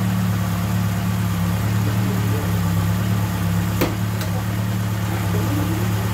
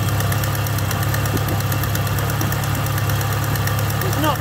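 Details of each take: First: Ford Capri Pinto, 41 years old, with Ashley 4-branch manifold and exhaust, idling after its blowing exhaust manifold gaskets were replaced before a passed MOT: smooth, even low idle with no ticking or chuffing, exhaust sealed and healthy. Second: Ford Capri with 2.0 L Pinto engine and Ashley four-branch manifold, choke off, idling: quick, even puffing tick over the engine beat from a blowing exhaust manifold gasket at number four cylinder.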